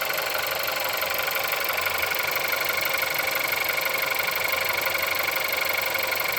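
Steady metallic tapping about four times a second over a bright cold idle; a knock inside the engine, source not pinned down.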